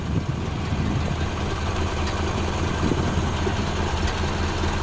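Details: 1929 Ford Model A after oil pan gasket replacement and new oil filter fitted: steady even low four-cylinder putter with regular firing pulses, no knocks or misses; idling really well.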